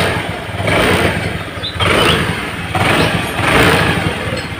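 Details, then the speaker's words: Honda Vario Techno scooter with a vacuum carburetor (torn vacuum diaphragm, weak pull uphill), tested with a shortened slide spring: repeated throttle blips, each pickup lagging the twist. There is a noticeable hesitation, with engine sound not matching throttle input. "Teman-teman dengarkan, begitu grip gas kita putar awal, seperti ada jeda di suara motor, seperti ada jeda. Jadi dia tidak akan seimbang antara grip gas yang kita putar dengan suara tarikan dari motor ini, teman-teman."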